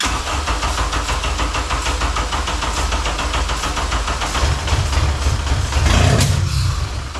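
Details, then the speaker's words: 1987 Acura Integra with a swapped K24A2 and 6-speed manual, first start attempt on starting fluid: it catches, runs roughly, surges once, then fades. It has spark and the timing seems correct; fuel pump or injectors are suspected. "But I'd say the engine's in time. It wanted to run."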